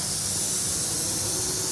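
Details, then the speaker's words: Ingersoll Rand SSR-EP60 60 hp rotary screw compressor, 98,485 run hours, with pressure already in the system (tank about 85 PSI): steady, hard, high-pitched hiss from loose fittings on the line; compressed air leak. "These fittings just aren't very tight. That's why you hear the leaking."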